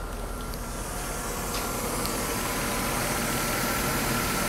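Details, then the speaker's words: 1991–92 Mercedes W124 300CE 24V, five-speed, started at about 60 degrees coolant, new air flow sensor fitted, owner reported stalling when hot: soft, even idle, steady hum, no ticks, knocks or misses; subtle, smooth and healthy. "This car gives the driver the feeling that. The engine sound is quite subtle."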